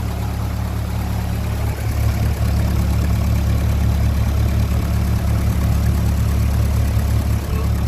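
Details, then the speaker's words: 1957 Ferguson 35 TVO tractor warming up after valve adjustment: steady fast even tick-over with deep drone that won't drop lower; idle too high, owner knows the cause. "okay just to take over that the lower that won't go down lower that's interesting so I know what's wrong there"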